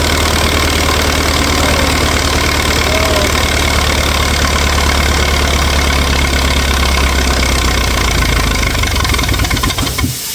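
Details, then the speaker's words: 1964 LeRoi 125G1 trailer air compressor, no muffler (straight pipe), output wide open so it runs unloaded: very loud, raw, steady roar with a deep low drone; runs evenly, normal running. "So, we're going to try and run it with the output wide open so it can blow that air so it doesn't build up too high. It's going to be loud cuz we're going to have the straight pipe and we're going to have the [laughter] airflow."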